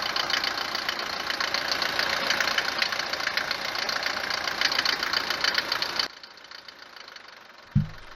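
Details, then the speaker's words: Mercedes 190 diesel, cold morning start, recently serviced with 10W-40 oil (previous owner used 15W-40), no oil consumption: loud, sharp, rapid knocking over harsh diesel clatter at cold idle; cause not confirmed. "لما نجي نوضها نسمع التقربيع بزاف، تبدا تقربع كما شتي في الفيديو، ولما تسخن شويه يبدا دوك التقرقيب كينقص، يعني ما يبقاش بزاف كما شتي في الفيديو."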